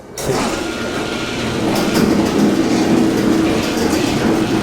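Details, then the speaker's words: 48-year-old wooden garage door after all hinges were replaced; it lifts with a smooth even rumble and no creaking or grating, much quieter than before. "So much quieter."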